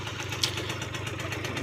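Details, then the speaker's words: Aprilia Gulliver 50 two-stroke scooter: soft, even idle with steady fast pulse and no misses, but smokes heavily and won't accelerate properly, suspected fuel starvation; fuel valve swap made no difference. "but yeah as you can hear it idles very gently but it smokes quite a bit but it sounds good"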